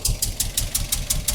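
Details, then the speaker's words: 1987 VW Golf Mk1 Turbo GTI, first start after fuel pump swap: rough idle with sharp hissing puffs in time with the engine; a large air leak heard somewhere behind the turbo, possibly the manifold or something loose. "Still sounds it's got an air leak, but we got running. It's running. Sounds like there's a freaking leak somewhere though."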